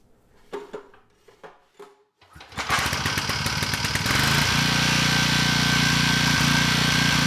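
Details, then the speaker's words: Briggs & Stratton engine on a Storm Responder generator, said to have run out of oil with under 50 hours: it catches and runs with a dull, even knock underneath; suspected rod knock. "This engine looks great. It actually runs, but it has a knock. So, yeah, this engine, it needs surgery."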